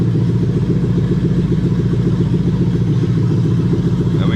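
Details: Lexus LS430 3UZ-FE VVT-i V8 in an IS200 with plug-and-play harness, J160 manual and remapped ECU, coolant still warming, zero trouble codes: deep, even burble at about three and a half pulses a second, no ticking or stumbling; normal idle.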